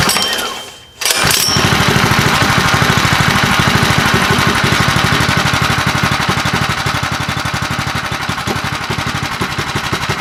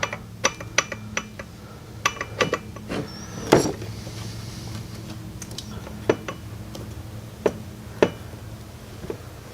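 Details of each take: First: Predator 212 Hemi engine, full build with a 255 grind cam and PVL aluminum flywheel, first run: small single chugs settling into a steady, choppy beat, rougher than stock. Normal running with a performance cam. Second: Predator 212 Hemi engine build with a 255-grind cam, crank turned slowly by hand with the side cover loosely on: sharp metallic ticks at uneven intervals, otherwise quiet, caused by slight cam gear backlash.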